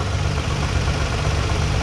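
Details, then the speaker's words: Nissan Skyline R34 GT-R with Nismo clutch and OEM Getrag 6-speed, idling not fully warm: steady low rumble with faint uneven rattle from the transmission, which visibly shakes; noise worsens when warm and driving; loose transmission input shaft. "A little difficult to tell but I can hear the abnormal sound. Not loud like on former video, but still I can hear the abnormal sound. I guess the engine is not warm enough yet."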